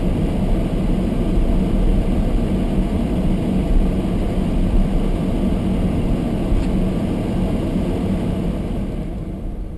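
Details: Almost-new Toyota Prius hybrid in Japan, below-freezing day with fogged windows: the windscreen demister fan runs on high, making a loud, steady whoosh. The camera is close to the fan, so it sounds louder than it is, and the cabin is actually quiet. This is normal blower noise.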